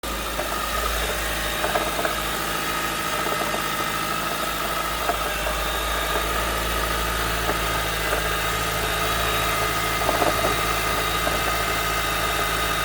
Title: Honda CR-V Mk5 Hybrid Knocking/Rattle Noise at Cold Start – Cause?